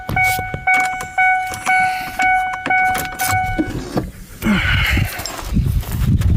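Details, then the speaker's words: 2001 Ford Ranger, rebuilt 4.0 engine, sat 2.5 years, no-start; cranking in neutral, clutch in: uneven cranking about two beats a second with a metallic clack each turn, then a jangle; almost sounds like rod knock, wonders if starter. "It's cranking over, but something does not sound good. I have no idea what that is. Almost sounds like a rod knock."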